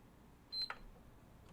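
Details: PS5 that previously gave only a brief partial beep and wouldn't power on, after repair: one short clean high beep at switch-on then soft steady fan whir; powers on with light and fan spin, fixed.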